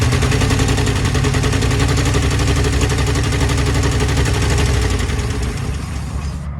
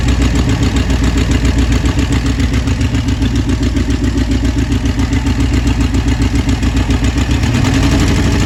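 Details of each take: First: 1966 Ford Thunderbird 390 V8 idling after fuel pump and carburetor replacement: loud, uneven idle with sharp popping chuffs and a missing beat; owner thinks it's on 7 cylinders with a bad exhaust leak, though running way better. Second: 1966 Ford Thunderbird 390 V8 idling shortly after first start with new carburetor and idle screw adjustment: steady, even low thump with no hunting or stumble; best it has ever run.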